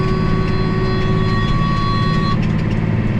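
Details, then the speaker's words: High steady squeal over a tractor's low engine drone while deep-tilling with a plow, cutting off partway; the squeak was fixed once but returned after a couple of weeks; source unknown. "Anyway, I did have it fixed and I wasn't squeaking anymore, but yeah, that didn't work out too long. Maybe a couple of weeks. I have to try something else. Man, it gets irritating. You're just sitting in the tractor and you hear it squeaking all day long."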